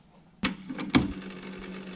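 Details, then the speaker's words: Sony TC-RX80ES auto-reverse cassette deck (c.1988) running forward with no tape loaded. Mechanism clunks, then a light steady whirr with a low hum; slightly noisy because no tape is on the spindle. Normal tape transport. "in the forward direction it's a little bit noisy because there's no tape you need a tape on that spindle to quiet it down"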